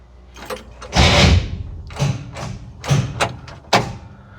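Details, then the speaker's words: Corvair with a new starter and new governor, fuel pump on. Irregular heavy thuds and clunks in bursts about a second apart with no cranking rhythm; the starter fails to turn the engine. Owner suspects a dead battery. "Oh, that ain't good. Battery done? Damn it. Maybe. Maybe I need a battery."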